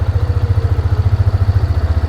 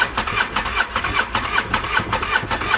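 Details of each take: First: Used ATV bought as a runner, idling after the fuel pump was confirmed working: an even, steady thumping idle with no misses or knocks; engine sounds healthy. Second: Used two-cylinder ATV with one cylinder low on compression, cranked on the starter: steady, even cranking of about two and a half beats a second that never catches; cranks but won't fire, needs a top-end job.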